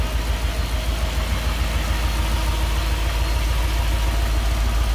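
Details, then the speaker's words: Nissan D40 Navara with freshly swapped VK45DE V8, first start, low lumpy idle about 500 rpm with steady hollow stumble about three per second; one cylinder down, owner suspects injector or something else, later traced to a dirty contact. "nice and quiet hey i think we still got one not quite right yeah it feels like one down"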